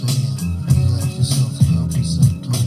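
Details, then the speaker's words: Panasonic RX-CW55L boombox, thought to be from around 1987, tape deck 2 (play-only, auto reverse) with a cheap newer Type 1 tape that plays fine elsewhere: music fades and warbles with frequent level and treble dropouts; deck mangles playback. "It kind of sounds like the tape is chewed up and mangled, but it's not. It's kind of a newer, cheap Type 1 tape, but when I play it on the tape deck that actually recorded it, it sounds great."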